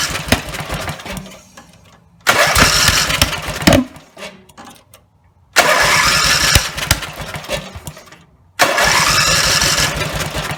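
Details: Rebuilt Briggs and Stratton 17HP (carb rebuilt, plugs, sump, oil slinger, gaskets replaced, valves reseated) roars at full throttle in loud bursts, fading and quitting each time it drops back; won't idle; owner suspects the throttle linkage lever isn't resting on its screw.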